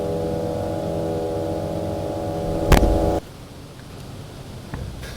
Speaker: so if i play a little section and you can hear now in the background there's a brother not very nice and that's called the cipher